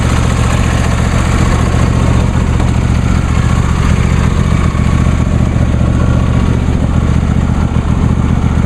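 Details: New John Deere D130 lawn tractor idling after start; a steady, even low putter at a fixed idle speed with no knocks or misses over the drone, healthy.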